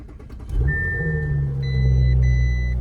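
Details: Audi S5 with front damage at a Copart auction, started with the button: brief crank, then it catches quickly and settles into a smooth, deep, even rumble with a chime above it; clean, healthy start.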